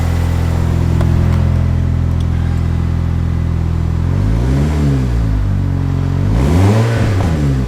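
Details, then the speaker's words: Turbo Chevrolet HHR SS Ecotec after boost-issue repair and reassembly, sitting since October: steady even idle with deep smooth firing, then two clean throttle blips; sputtered slightly at startup, now healthy. "all right so it seems like everything's okay as you can hear cars sputtered a little bit when we had to start it up"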